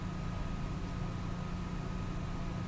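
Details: Dell M5030 laptop after reflowing the motherboard in an oven at 385 degrees for 8 minutes: boots up; steady, even airy hum with a faint constant tone and no ticking or rubbing, fan running normally.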